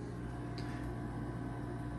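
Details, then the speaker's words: Midea U-shaped 10,000 BTU window air conditioner, new, in quiet mode: low steady hum with soft even fan rush, no knocks or rattles; normal quiet-mode running. "and now it's at it's quiet mode and it's in its louder"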